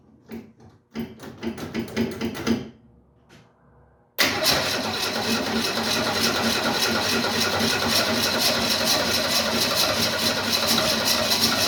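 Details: 1968 Ford Mustang carbureted V8 being restarted after sitting, with fuel pumped into the carburetor. Several cranking bursts fail to catch, then after a pause it fires into a steady but rough run, likely fuel starved while drawing gas from the tank.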